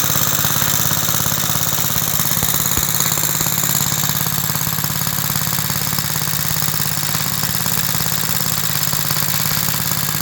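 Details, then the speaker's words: About 66-year-old 1960s English-made Suffolk single after a carburetor clean and a new plug wire. It runs at a steady chuff with a light, fast metallic rattle on every beat. Owner places the rattle in the starting mechanism. "There is just a rattle somewhere. It is in the starting mechanism and I know there is oil in."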